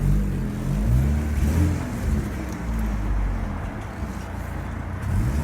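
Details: Rover 820 Turbo Vitesse coupe, manual, first drive after sitting about two years on a new battery: deep rumbling drive with a raspy, chuffing edge rising with revs, sporty but not right; the exhaust is blowing, an exhaust leak.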